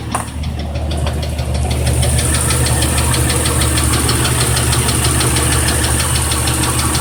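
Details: 1997 Jeep Cherokee idling with a steady, sharp metallic knock about three to four times a second. Rod knock is suspected but not confirmed.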